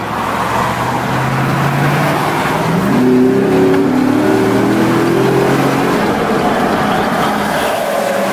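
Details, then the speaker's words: 2010 Chevy 2500 HD 4x4, 6.0 Vortec V8, about 88,000 miles, government maintained, on a test drive: deep even pull rising smoothly with road speed under steady throttle, no knocks, misses or rattles; runs just like it should. "doing yeah buddy this truck runs just like it should"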